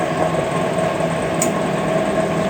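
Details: Microwave after replacing a failed capacitor and blown fuse with parts from an old unit, timer dial counting back to 0 before cutting off: steady, even hum with no clicks, buzzing or rattles; running normally after repair.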